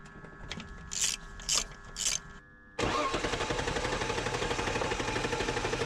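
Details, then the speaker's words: BMW E46 drift wagon during compression test, fuel pump fuse removed; a few short hisses then even steady cranking about two beats per second; normal cranking, coolant loss still unexplained. "it cranks really nicely so i don't really suspect that it has a little compression"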